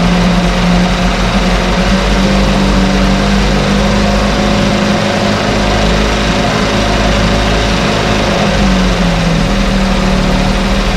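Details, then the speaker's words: 1968 Evinrude Fastwin twin outboard, running in a test tank with nothing fixed, seafoam mixed in the fuel: buzzes along at a constant even pace with no stumbles, no cold-start cough, running better each start; running healthy. "every time we start it up and running it runs a little better"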